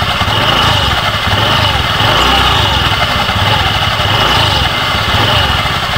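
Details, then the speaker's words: Honda Beat FI v2 scooter idling with the CVT case cover removed, busy rattly clatter over the engine; mechanic finds a part loose there, worn from overheating after a long hard ride, and plans to test by swapping the torque drive; loose CVT bearing. "Okay naman talag sir ito yung sira ni ito maluwag to dito ito dumikit overhead sobrahan ng ano takbo"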